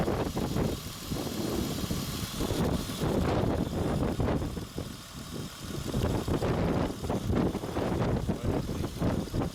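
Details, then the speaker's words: 2003 Honda Odyssey 3.5L with P0305 misfire, jumper wire feeding power to cylinder 5 ignition coil: steady, even idle with low rumble, no stumble; normal idle once the coil gets power. "yeah can you see now yeah can you tell the difference you see how it's running it's much better now we have power here"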